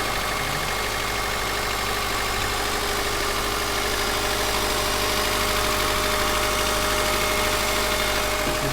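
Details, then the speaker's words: Subaru Forester SG5, EJ203 SOHC 140 hp naturally aspirated, cold idle: light metallic rattle, already fading as the engine warms and weak, source not pinned down; cold-start knock that disappears within 3–4 minutes. "Как будто где-то вот здесь вот дребезжит, что ли, где-то вот"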